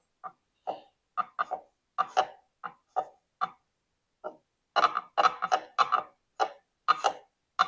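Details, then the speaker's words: 1959 MGA roadster differential gear set, cleaned in varsol and spun by hand before contact-pattern check: irregular bursts of dry ticking and scraping with quiet gaps; rotation not smooth, sounds abnormal, cause unknown. "certainly not moving very smoothly you can really hear that clider I'm thinking it's not sounding so good"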